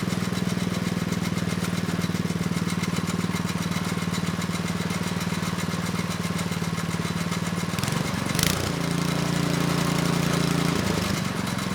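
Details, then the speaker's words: Neglected Craftsman snow blower 247.889571, after carb work, running steady with choke off: faint dry scrape over even engine beat, suspected from belt area. "okay well that was a pretty good test uh the engine it's running nice and steady with the choke off but we have a new noise you I think it's coming from the belt area it's kind of like a scraping"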